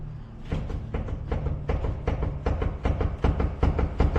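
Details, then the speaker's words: Infiniti G35 rear suspension, separate shock and spring, which clunked while driving: tugging up on the rear gives a dull clunk with every pull, a couple times per second; owner suspects the strut is loose at the top nut. "oh you can hear that all day there's something going on so I think maybe the strut is loose on the top"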